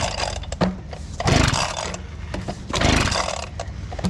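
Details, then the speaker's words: Abandoned two-stroke leaf blower, freshly fuelled and carburettor primed, running on cold start: sputters and surges in ragged bursts, barely smoothing as it warms; owner suspects a spark problem, and the throttle doesn't return fully. "we're going to put it to run now I think we're having a spark issue sounds like it's getting better though oh yeah it's getting"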